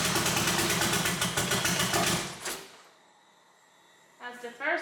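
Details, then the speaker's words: Evo 8 at its first start-up after reassembly, on a new tune loaded with Infinity Tuner and a battery that had not been charged: loud, uneven, lumpy chuffing for about two seconds, then it dies away; runs rough and won't idle, cause unconfirmed. "Doesn't obviously idle right away. Yeah, it sounds like crap."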